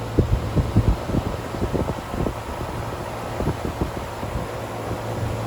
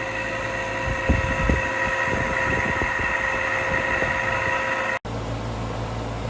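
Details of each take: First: Air handler fan motor at a friend's house after replacement, running normally: even low whoosh and hum, no scraping, rattling or squeal; cool air expected for the next 7 years. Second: Air handler fan motor at a friend's house before replacement: steady droning hum with irregular knocks and thumps early on, from the worn, failing fan motor.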